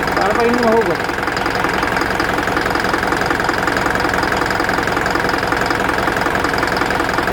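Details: Isuzu NPR diesel idling with a steady knock, about three a second, and check engine light, code P0202 cylinder 2 injector circuit, from a loose connection.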